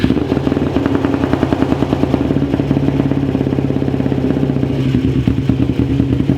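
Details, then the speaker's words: 2001 Kawasaki Ninja 250R after a new carb bowl gasket and float height set, jump-started: the small twin fires steadily with an even, rapid beat and no misses or clatter, a healthy normal run. "But hey, it runs, guys. It runs pretty good."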